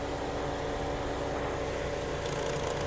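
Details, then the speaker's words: 2008 VW Golf 5 1.6 MPI petrol with LPG, 203 thousand mileage: idle with the climate-control AC compressor switched on. Steady idle with a faint added hum, no knocks or surging, no smoke. Normal healthy idle. "клімат працює включився компресор"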